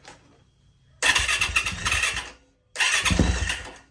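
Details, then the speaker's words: Auction Yamaha YZ450F first start after new parts, fuel pump heard running, no throttle hooked up: two short bursts of firing, each about a second and a half before dying. Owner suspects an unplugged sensor or air in the fuel system. "okay so I hear the pump running oh it it ran it didn't say running I don't have a throttle hooked up"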